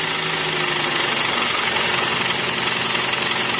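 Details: Toyota Avanza/Xenia engine with long cranking, hard starting, no power and no DTC, earlier P0008 and timing found off: fast loose irregular tapping clatter at idle, noisier as rpm drops; suspected hardened oil sludge affecting piston rings and compression, unconfirmed.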